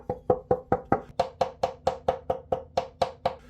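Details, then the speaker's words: Violin tapped around the body after open join was glued and serviced, strings off: crisp clean wooden taps about three a second, dying quickly with no buzz; normal tap response. "That's sounding really good, so now I can put the strings on and the instrument will work beautifully again."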